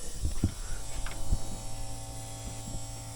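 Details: 1976 Alfa Romeo Spider, key on, engine off: the electric fuel pump down at the tank gives a faint, steady buzz under a few handling knocks. The pump is running normally.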